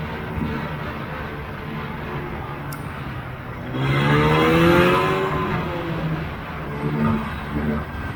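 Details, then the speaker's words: 1980 Polaris TX340 two-stroke snowmobile, repaired after blown head gaskets, cold started and ridden around the yard, revving up cleanly and settling back without stumbling; easy starting and good running. "i'm really happy with how the sled came out uh it's just an easy start and good running sled at this point"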